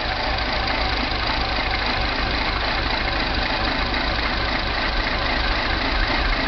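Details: Mini idling with a steady ragged, lumpy beat and no clean rhythm, engine stumbling at rest; rough idle with no codes stored, timing chain suspected.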